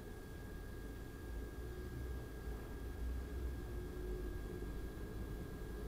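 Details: Razer Core X eGPU enclosure with AMD RX 5700 XT at 100% load in the Unigine Heaven test: steady low airflow rumble with a faint thin tone, an even, healthy fan run.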